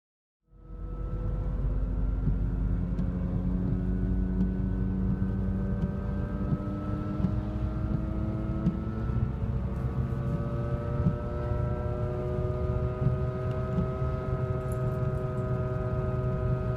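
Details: Audi A4 B8 driving, steady low hum and drone rising in pitch with speed from a worn front right wheel bearing, before replacement, compared with normal sound after.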